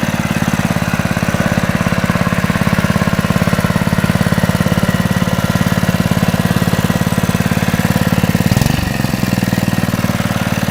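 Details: Honda GX120 small single-cylinder engine reassembled after the head was taken off to inspect the piston, one bolt left over: starts first pull and runs at a steady, even idle with no knocks or misses; owner notes a slight exhaust valve flutter.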